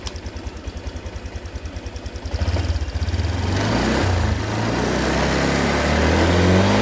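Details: Honda Vario 150 scooter that died when throttled after morning starts, now with its fuel filter cleaned and refitted: a steady idle putter that picks up smoothly on the throttle and holds without stumbling or dying; normal.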